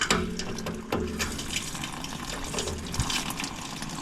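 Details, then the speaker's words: Heating radiator valve after freeing a valve that was trapped and refilling boiler pressure: steady gushing rush of water with a few gurgles, flow running freely again; circulation restored. "that was all it was they trapped in the valve we've got movement the boiler's knocked off can hear it"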